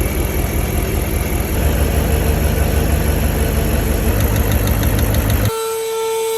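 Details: 1995 Mercedes S500 (W140) V8 at idle: slightly uneven stumbling beat, a slight miss; fouled plugs suspected, cap and rotor to be cleaned and plugs replaced.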